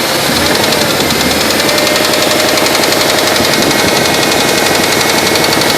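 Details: 1995 GM B-platform LT1 V8 at 278k miles: sharp metallic knocking, about four per second at idle, a deep rap over the engine; spun bearing knock.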